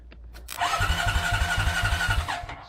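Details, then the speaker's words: Old Honda TRX quad bike cranks only when the starter solenoid's two big terminals are bypassed. The starter motor whirs for under two seconds with even thumps but doesn't fire. The solenoid's contacts are likely burnt, so the solenoid needs replacing. "it's activating the solenoid but obviously the contacts are burnt or something"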